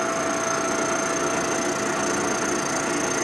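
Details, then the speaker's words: Boring a part during a 1946 Harley Knucklehead 84ci stroker rebuild: even, light hiss with a faint thin ring and no heavy chatter, cutting unevenly, with the boring cutter barely touching. "cutting you can hear it unevenly a lot of Machining you're doing by sound feel some Vision but mainly sound I can hear it's barely touching at all"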